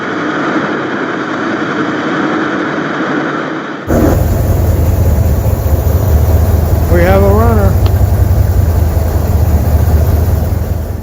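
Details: 1989 Ford F250 truck restarted after years off the road and a new fuel system (tank and pump replaced): it catches and settles into a deep, even low rumble with no stumbling and decent oil pressure. Normal idle.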